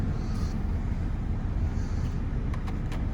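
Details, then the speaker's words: Opel Combo heater blower after motor replacement, engine still warm, checking windscreen airflow: first speed weak, steady even rumble and airflow on third speed with no rattle or squeal; heater blower working normally. "Так, перша швидкість не дуже. Так. Ось на третій вообще нормально."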